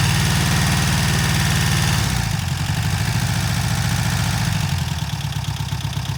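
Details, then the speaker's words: VW Type 1 flat-four from a Karmann Ghia, freshly rebuilt and started after the distributor timing was adjusted, before break-in: a steady, even idle with a lumpy low beat and no knocks or misses, normal running. "dude good job man did it dude that sounds so [Music] good we got it running boys"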